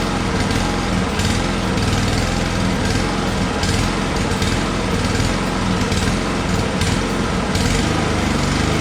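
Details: Friend's no-start lawnmower after draining suspect water-contaminated fuel, adding known good gas and a shot of starting fluid: small single-cylinder engine runs fast and steady with an even buzzy beat, no misses; running cleanly now.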